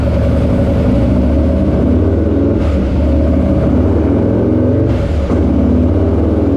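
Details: Harley-Davidson Lowrider S, Milwaukee-Eight 131ci Stage IV kit, stock compression, Cycle-Rama 512 cam replacing Screamin' Eagle 517: full-throttle dyno run at high revs, loud even V-twin roar, clean breaks between pulls, no knocks; made about 147hp and 149ft-lb, normal.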